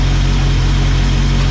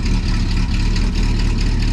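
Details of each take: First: Engine after fuel line replacement; deep, even idle with no ticking or tapping, though the owner fears the engine won't last. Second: Old engine at idle: light, quick ticking keeping pace with the engine, really noisy; valve cover off reveals a loose rocker nut (held by little tabs) causing valve tick, needing adjustment.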